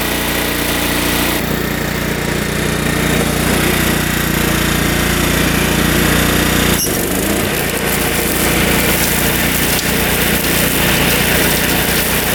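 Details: Riding mower with a freshly installed Kohler Command engine, believed 14 hp, new battery, test run cutting brush: engine catches and settles into a steady, rough-edged thrum, even beat around four per second; running normally.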